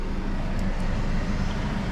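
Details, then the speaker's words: Auction-bought Chevy Sonic, warm idle the day after engine work and cooling-system bleeding, radiator fan cycling, ECU relearning: smooth, steady idle with no misses or knocks, no smoke and no fuel smell; normal idle. "So, motor works fine. It's idling. No smoke at all."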